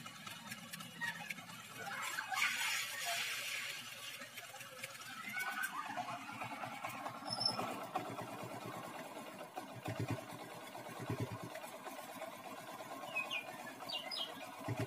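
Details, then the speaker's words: Honda Grand/Legenda small single idling after cam chain (keteng) replacement, old chain worn or slack: even idle with light steady tick, no loud chain rattle; normal idle. "sekarang mah gak terlalu bunyi ya guys gak terlalu berisik atau gak terlalu elektrik ya guys dengarkan ya guys"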